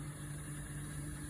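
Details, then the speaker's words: Bosch dishwasher that earlier failed to drain and now won't fill, after start: steady low motor hum with no water rushing in, running about ten minutes then stopping; Aquastop hose, regeneration valve, float switch and main board reportedly fine, cause unknown. "because you can hear everything is work like you can hear the sound but the water can get in"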